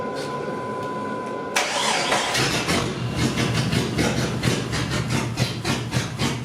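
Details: Salvage Jeep Cherokee with a replaced fuel filter, regulator and fuel line and six new NGK plugs: it cranks and catches, then revs unevenly with a ragged, stumbling beat and runs very rich; the cause is unknown, and a bad crank sensor is suspected.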